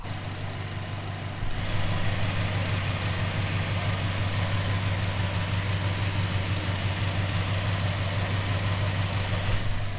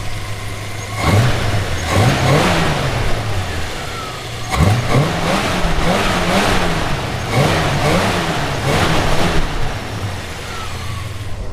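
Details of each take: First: 1970 Plymouth Fury III convertible with 318 V8 and 904 automatic, after maintenance including a fuel filter; idles with a low steady rumble under a constant airy hiss and thin high whistle from a vacuum leak. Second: 1970 Plymouth Fury III convertible, 318 V8, 904 automatic, warm, after reconnecting a hose: engine snaps up cleanly through several quick blips and settles back each time, crisp and even, no stumble; healthy revving.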